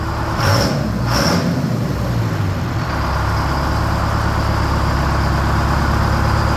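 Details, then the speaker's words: 1969 Hayes HD 6x6 with Detroit Diesel 8V71 V8, just revived after 14 years parked: air hisses then deep, steady idle rumble, no knocks or stumbles; smoke gone, judged a good motor — normal diesel idle. "I'm going to chalk it up and say that's a good motor. Love it."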